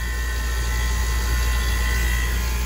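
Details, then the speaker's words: 30-year-old water-cooled walk-in cooler compressor restarting after short cycling on overload at 31 amps: constant low hum with faint steady tone, no clicking off; sight glass full, not flashing; running normally. "i'm actually shocked that this thing's running wow that is great news so let's finish our visual checks here so our sight glass is full it is not flashing compressor is still humming nicely"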